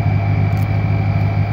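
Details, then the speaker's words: Ford Mustang GT 4.6 3-valve, which previously ran very badly with water in spark plug holes, after cleaning spark plugs and ignition coils: steady even idle with smooth deep burble, no misses or ticks. "it actually sounds pretty good now that it's running"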